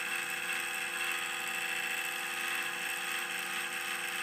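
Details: Debian file server, Cooler Master Elite Power power supply: steady high-pitched whir with several fixed tones; owner believes the PSU fan has quit, blaming cheap fans.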